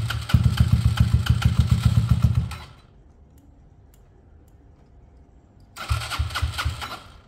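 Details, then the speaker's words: Peugeot Tweet 125cc scooter with new top end fitted: owner says earlier it took ages to start after sitting; automatic choke connected. The small single putters steadily, stops, restarts and settles to an even beat, now starting and running without cutting out. "so it will now start and run all day long okay never cut out"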